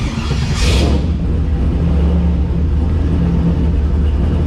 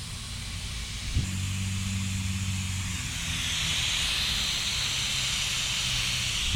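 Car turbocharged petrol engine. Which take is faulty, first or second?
second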